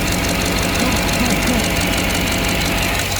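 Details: 2007 GMC Yukon XL 5.3 V8 just after replacing the oil pressure sensor and filter: even idle with a steady low hum and light, regular valve ticking, no heavy knock, no leaks; checking whether the oil gauge still fluctuates.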